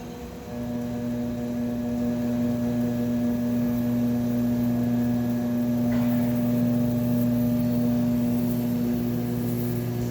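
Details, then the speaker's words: Lapmaster Wolters Model 12 lapping machine running dry with the weights removed on a preset program, in a pre-shipping check. A smooth, constant hum settles in after start-up with no knocks or grinding: normal operation. "We're gonna turn it on. There's already a program set in there, so we're just gonna start it."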